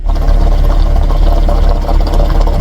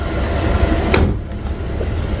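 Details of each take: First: 2011 GMC Acadia, cooled off, with faulty purge valve (hard starting and stalling after refuelling, black smoke); loud idle chugs unevenly, about four lurching beats a second, as revs settle; rough idle from purge valve. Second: 2011 GMC Acadia at idle after replacing the purge valve; steady low hum with no more burbling or misses and no more excess exhaust smoke, one door clunk; normal idle after repair.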